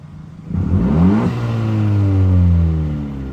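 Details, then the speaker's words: Honda Civic Si after muffler delete with chopped exhaust pipes: loud raspy revs climbing and falling, deep open drone with no muffling; straight-through exhaust note. "Alright, so pretty much all I did was did the muffler delete. The muffler delete, we got those chop ass fucking exhaust pipes."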